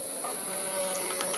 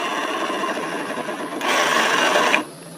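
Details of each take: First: Yamaha Mio M3 scooter, final drive gearbox turned by hand: a soft, even whir with light hiss, now smooth where it was rough before. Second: Yamaha Mio M3 scooter, rear wheel turned by hand: harsh, dry rasping grind from the final-drive gear ratio section, CVT pulley smooth; worn final-drive gearbox bearings.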